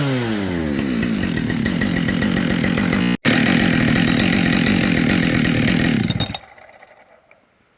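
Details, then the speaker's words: Husqvarna 572XP chainsaw rebuilt from salvaged used parts: screams at high revs with loose metallic piston rattle under the buzz; owner suspects another decked cylinder, exhaust port looks not that bad; unconfirmed. "you know I'm going to bet you money that we pull this apart we're going to find another uh cylinder that was decked and you hear that piston rattle"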